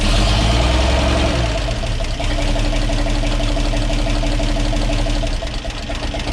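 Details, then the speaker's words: 1942 Blitz truck with new carburetor and cleaned air filter: even settled idle with deep steady rumble, about four firm pulses a second, no stumbles; normal healthy idle. "So she's idling a lot better now. Oh, I cleaned up the old air filter and put that back on. Listen to this. Music to the ears."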